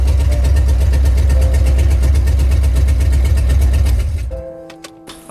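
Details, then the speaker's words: Previously knocking Ford 4.6 two-valve V8 after repair with used junkyard crank and bearings and reused bolts, no radiator, open long-tube headers: loud even bark, steady firing, no knock or tick; normal running. "right so to say the least I think we just got an answer despite those long tube headers just making way too much noise the motor is definitely not knocking it's not making a ticking noise it's not doing anything"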